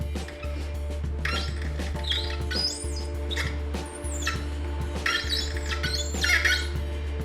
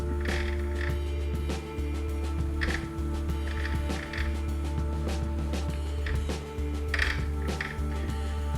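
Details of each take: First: Threading a solid brass bar for a custom Sportster shifter rod with a die: short high squeaks with each turn as it cuts dry; a little WD-40 or light oil quietens it. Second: Cutting a thread by hand with a die on solid brass bar for a custom Sportster shifter rod: after light WD-40-type lubricant, the squeak is gone, leaving a steady low hum and soft clicks; quiet, smooth, lubricated cutting.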